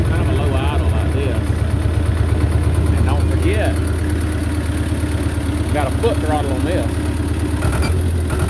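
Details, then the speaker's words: Belarus 250 tractor, 2-cylinder air-cooled diesel, sat for years; after cleaning debris from lift pump poppets, low steady even idle that holds without dying, though going lower on throttle fades out; normal idle after repair. "if you go below where it's sitting at right now it'll start getting into the low idle and we Fade Out so you don't really have much throttling"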